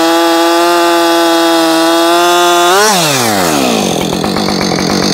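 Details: Husqvarna 562XP Mark II chainsaw, first-ever run, cutting a log at full throttle: high steady scream, pitch drops cleanly as it bites and holds; found its tune very quickly, faster than the Mark 1; normal cutting under load.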